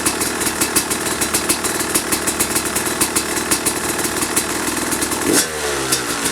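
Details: 2005 Kawasaki KX250 two-stroke, first fire-up after rebuild (low compression; piston shot, questionable plating, crank play), started first kick: crisp even idle popping, clean rev blip dropping straight back; runs healthy and steady.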